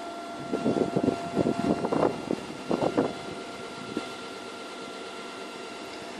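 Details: Iseki TU318F tractor converted to an electric motor on a 12V 120Ah SLA battery, first drive after bleeding air from the hydraulic drive: short whirring bursts rise and fall as it moves over a faint steady hum; the electric drive is healthy.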